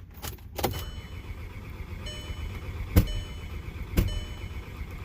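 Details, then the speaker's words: VW CC no-start after replacing N80 valve, intake, injectors, primary and auxiliary fuel pumps, camshaft sensor, spark plugs, coils and MAF: cranks without catching, sharp single pops from the rear about a second apart. Crank no start with popping. "So, here's my attempt at trying to start the car. You can hear popping coming from the back."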